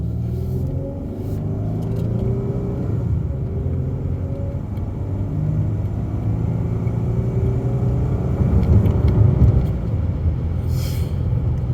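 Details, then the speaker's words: 2013 Dodge Charger Pursuit driving, hard throttle: deep even rumble builds steadily with no knocks, misses or rattles; check engine light on and AC fault, otherwise runs and drives well. Normal engine acceleration. "so there you go runs and rides very very well again this is a good cheap car"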